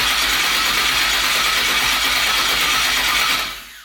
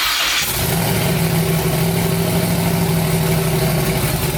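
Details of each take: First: Twin-turbo 5.3 V8 New Edge Mustang, first start after wiring, battery dropping to about 8-9 volts while cranking: steady, hissy cranking whir for about three seconds with no firing; cranks, no start. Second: First start of new twin-turbo 5.3 V8 build in a New Edge Mustang after finishing wiring: engine catches and settles into a rough, lumpy idle with steady low drone; nothing clearly faulty.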